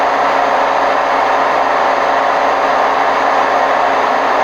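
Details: Hotpoint WMF760 washing machine on spin program, May 2018: loud, steady, rough roar with no letup throughout the spin, from worn drum bearings.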